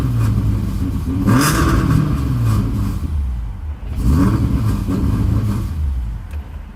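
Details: Car with Tomei exhaust, P0300 random/multiple cylinder misfire after new NGK plugs, ENA coil packs, Nissan valve covers, PCV hoses, battery, cleaned throttle body and MAF: revs twice unevenly, drops to 1k RPM then stalls after throttle release; cause unknown.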